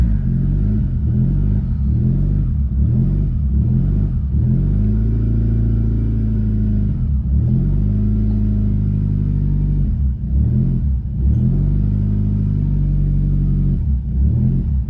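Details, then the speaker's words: Nissan CVT car with stage-two turbo, downpipe-back exhaust, being converted from MAF to speed density, in limp mode with code disabled: low rumble hunting up and down, never settling; unstable idle because the new tune isn't set. "oh yeah that's not running great that's that's what I was expecting it to do it's trying to idle"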